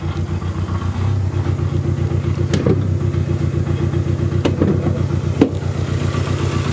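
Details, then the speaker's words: 2.2-litre 16-valve turbocharged inline-4 at idle, hood open: an uneven, lumpy idle with an irregular low chuff and exhaust rattle, misfiring after a second. Owner suspects uneven injector fueling and plans to remove the intake manifold to reach the injectors. "Running about as good as it ever has. I mean, at least it does run, and I can move it around pretty easily, but it definitely needs to be fixed up."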